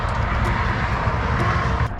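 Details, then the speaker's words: Camper van on a road trip with check-gauge light on: a heavy, uneven, ragged low rumble just before the engine cut off, a pop and smoke from the bell housing area. Running rough, cause unknown. "This thing is running really [ __ ] rough. And I think I just I think my engine just cut off again, guys."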